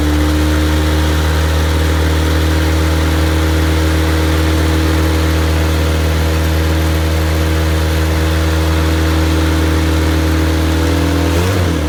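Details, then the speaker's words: Rebuilt MG Midget 1500 engine (also fits Triumph Spitfire), flat-top pistons, 270 cam, head shaved to 9.5:1 compression, new oil pump, double chain, run-tested with no muffler: strong, even, deep-throated run, no knocks or ticks; normal running. "it's a new engine with the exception that it's been it's been reworked and uh so it runs great"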